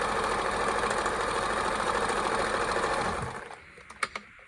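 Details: Kenmore 158.14310 sewing machine after servicing seized parts, sewing straight stitch at 10 per inch: even rapid stitching chatter about three stitches a second, smooth, then winding down; sewing normally with perfect stitch.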